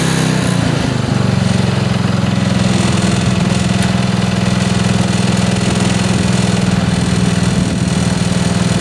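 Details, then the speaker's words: Mower, first spring start at about full choke, throttle midway, clutch in, brake on: short crank then steady even single-cylinder drone, no misses or knocks; runs good, brake needs adjustment. "okay brake needs adjustment i can definitely tell you that but runs good"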